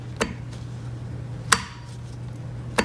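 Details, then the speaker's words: Quantum 4Front power chair drive motor parking brake after rebuild, bolts refitted (one bent): three crisp single clicks about once a second over low motor hum, no pinging rattle afterward; brake now engages decisively and normally. "this is a plastic cover but check it out now we've got a much more decisive click"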